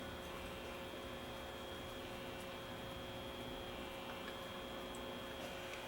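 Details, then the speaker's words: Very old pre-war RCA A20C tube table radio on the bench, tubes warmed, dial light on, not drawing excessive current: only a steady low mains amplifier hum with faint crackle, no stations or tuning noise received. "I can hear the amplifier humming and the light is lighting up here so we know we got power"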